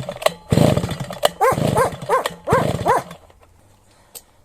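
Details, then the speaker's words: Svityaz BT-430 petrol brush cutter that quit after refuelling; several pull-start tugs each give a short rough burst that dies at once, and the plug comes out wet again. Fouled spark plug. "бачите вся свічка знову мокра що ж друзі не хоче зараз вернусь"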